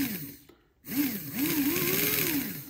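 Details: Classic model steam locomotive under repair, motor tested held by hand with wires touched to contacts: small motor whirs in short bursts, pitch smoothly following power, no grinding; normal run.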